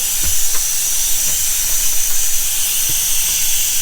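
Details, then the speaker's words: 2024 SeaDoo RXT-X 325 boost leak test, filled with compressor air to just under 20 PSI: a strong, steady hiss of escaping air with faint knocks; leak at a loose intake/intercooler hose, which was then tightened. "Oh, you can actually hear it's leaking at the one of these hoses. Loose. There's a loose hose."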